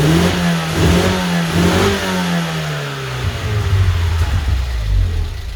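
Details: 1994 Vauxhall Astra GSi C20XE red top, new battery, cool engine, first start after injectors removed and cleaned: hard start, then uneven revs rising and sagging before settling; rough running, suspected air in fuel system.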